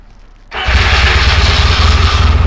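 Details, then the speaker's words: Rebuilt 1972 Yamaha XS2 XS656 with all new seals and new battery, fuel turned on: brief crank, catches at once and settles into a strong, even, low thumping idle; cranked up real easy, clean start. "Cranked up real easy."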